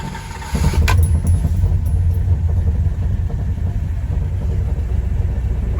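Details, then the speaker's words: 1964 Dodge Dart GT with swapped 5.9 Magnum V8, carburetor on stock needle calibration, cold start: catches and settles into slow, deep, lumpy idle; cold idle may be a touch low (warm target around 1450 rpm). "actually be a titch low"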